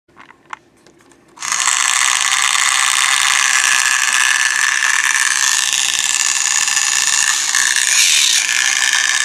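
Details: Stafford Trackmaster toy train motor starts up with a loud, high, rattling ratchet and grind from its gears: noisy gearbox.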